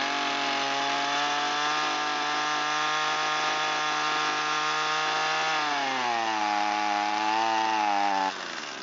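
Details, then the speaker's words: Echo SRM225 two-stroke that sat long with fuel in it, low compression, after throttle adjustment: high steady buzz at speed, then revs wobble and sag and drop off; running slightly lean, mixture screw previously tampered with. "So it's a little lean, a little peek underneath the carburetor here where the mixture screw is located."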